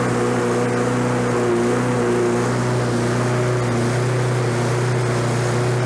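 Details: Lawn-Boy 21-inch self-propelled mower, oil low, with self-propel being checked. A steady, high, racing drone with no load: over-revving with the governor set too high. The fix was bending the governor arm to lower rpm.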